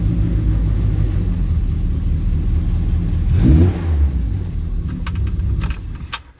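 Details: Classic Mini Clubman Estate, cold start after sitting parked about nine years, choke out, out of gear: catches and runs steadily, revs cleanly on a throttle blip and settles back; normal cold start and idle.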